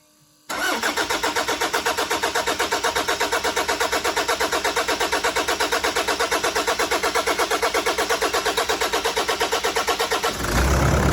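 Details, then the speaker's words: Newly fitted Toyota 1KD diesel engine, first start after injectors were badly worn: steady cranking about three turns a second for ten seconds letting oil reach the turbo, then catches and settles to a clean idle. "Couple of things. Um the long crank on the start up, that's really good cuz it allows oil to get everywhere, including in the turbo. And it's a good battery test."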